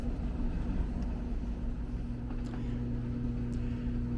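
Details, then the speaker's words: Newly installed dryer after connecting power cord and vent duct, on timed dry test cycle: steady low hum and even drum rumble, no knocks or squeals; running normally. "You can hear it running in the background."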